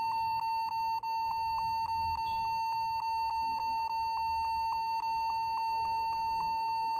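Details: Computer giving a sharp high beep about three times a second, continuous with no pause, warning of a keyboard problem; cause suspected, not confirmed.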